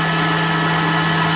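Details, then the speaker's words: Blower fitted to a BMW E39 electric-vehicle conversion, test-run: steady, even hum with a constant low drone and airy rush, no wobble or rubbing; blower motor running healthy. "well you got a pretty good idol this thing is making noise it's sucking and blowing"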